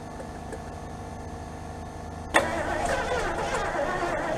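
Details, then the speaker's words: Lincoln Continental that sat 5-10 years, fuel gauge on empty, fuel poured into the carburetor: quiet cranking, then a sharp catch and rough uneven run only on the primer squirt; may not be drawing fuel from the tank. "Yeah, it's we know it runs. Uh just it says it's empty. I don't know. I might do a couple more of those just just see if it does pull something from the tank and maybe run on its own."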